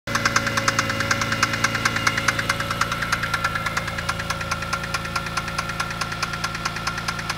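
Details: BMW E46 M3 at idle: a sharp metallic rattle-knock about 140 per minute that is progressively worsening. Owner suspects the chain tensioner or VANOS; valve cover removal is planned, cause undetermined.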